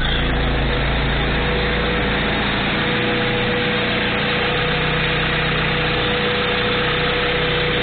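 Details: Honda Civic B16A (JDM) idling after a timing belt replacement, with the cam timing pushed back slightly and lined up on the three notches, now running right: steady, even idle with a smooth low rumble and a faint constant whine, no misses or tapping.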